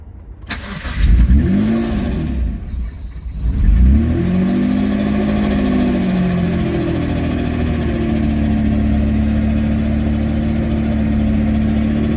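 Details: Supercharged engine on a standalone ECU with its idle control stepper motor removed, first runs after about 5 years, smoking: catches after cranking, revs flare and dip unevenly, then a shaky tick-over; unstable idle from missing idle control valve.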